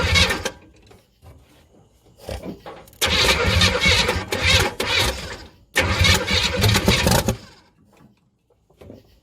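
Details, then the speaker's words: 1976 Chevy Chevelle Laguna with 305 V8 and side pipes, first start check at night, oil pressure gauge not working. Loud cranking and catching, uneven revving surges with quiet gaps; no major knocking heard. "well I reckon it does wrong louder so can't really hear anything else but as far as I could tell I didn't hear any major knocking or anything"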